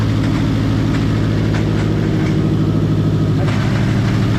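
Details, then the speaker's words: Subaru WRX raised on jack stands, engine running with no load, put in first and second gear: rough gritty grinding over a steady engine; rear wheels spinning, front not; motor sounds good, gearbox suspected broken internally. "So Alright, so like with the when I went through first and second, it grinded."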